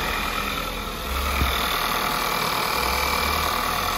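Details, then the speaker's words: 2011 VW Polo MK5 1.2 TSI (CBZA), about 100,000 on the engine, idling right after timing chain and crank sprocket replacement: smooth even hum, steady low beat, no rattle or knock; normal. "okay right away fire no issues running very smooth"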